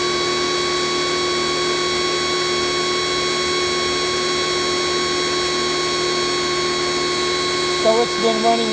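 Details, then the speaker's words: Kioles pressure washer, defective power switch, motor never cuts off: steady high-pitched whine continues after the trigger is released. "but note that the mother has never turned off the motor keeps running continuously as soon as I stopped here the high pressure wine again"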